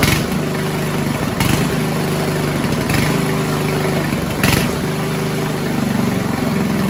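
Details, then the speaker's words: 1970s Roper 1032 snowblower, probably 10 hp Tecumseh, first run on repaired carb with JB-welded bowl: idle won't settle, surging about every 1.5 seconds; lean carburettor hunting. "It was still hunting a bit, but I just made the mix a tad richer from the on th"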